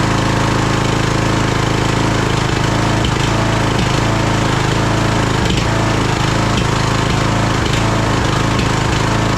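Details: Craftsman DLT3000 lawn tractor small engine after coil, fuel filter and shut-off valve replacement: loud, uneven hammering with irregular stumbles and pops, running rough and backfiring through the carburetor; carburetor problems suspected.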